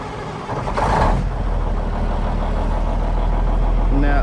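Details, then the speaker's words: Cummins N14 diesel after replacing the cam follower housing shim/gasket to fix an oil leak, first start: expected to crank a while sucking air, but it catches almost at once and settles into a steady, even clatter, no stumbling or hunting. "Okay, now remember it's going to be sucking a lot of air. So it's going to crank for a while before it starts."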